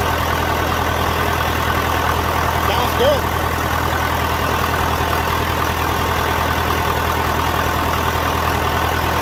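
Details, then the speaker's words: John Deere 450 diesel just after first start following in-frame rebuild; steady, even idle with no knocks, misses or rattles; sounds better than it ever did, healthy and settled. "good sounds better than it ever sounded"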